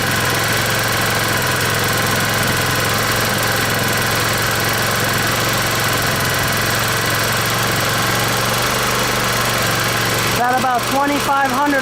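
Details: 150cc scooter after replacing a broken intake manifold spacer causing a vacuum leak: small single-cylinder steady, even buzz at fast idle, no hiss or stumble; idle still sometimes surges high, owner suspects another vacuum leak.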